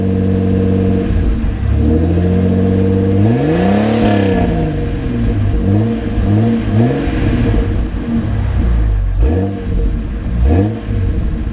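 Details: 2000 Jeep Cherokee XJ Classic: engine catches and revs up and down cleanly twice, pitch rising and falling smoothly with no knocks or misses; healthy start and revving.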